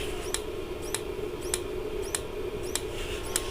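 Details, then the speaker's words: Dometic Americana RV fridge switched to gas mode: sharp dry snaps about every 0.6 seconds with no burner whoosh; igniter sparks but gas never lights, owner suspects the gas solenoid isn't letting gas flow. "what I've done is switched it to see if it'll start on gas and you can hear it snapping"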